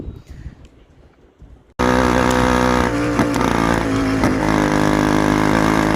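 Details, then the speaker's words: 49cc two-stroke motorized bicycle engine starting and running rough with occasional sharp pops: misfires and backfires, then shuts off while riding. Suspected cause is a loose stator bolt, with black residue around it. Fix: tighten the bolt. "we're having misfires and backfire problems where you're riding down the road and it just just backfires and then shuts off"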